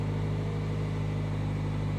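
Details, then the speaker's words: 2018 Jaguar with 29,000 miles and a small turbo four-cylinder, Copart salvage: steady idle with a heavy low drone and busy clatter on top, surprisingly noisy for a Jag, likened to a Chevy Cruze; cause unknown. "an 18 with 29 000 miles on it that's a noisy little engine [Music] honestly that is a noisy little engine for a Jag"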